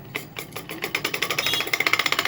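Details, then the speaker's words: Ceiling fan that sticks and makes a humming, thudding noise while running: sharp metallic ticks speeding up to about ten a second as it spins up. Loose bearing on a worn, grooved shaft. "आज के video में हम देखने वाले कि सिलिम पंका जो है व चलते चलते अटक जाता है और आवाज करता है गुग जैसा आवाज आता है इसके अंदर से हैमिंग मारता है"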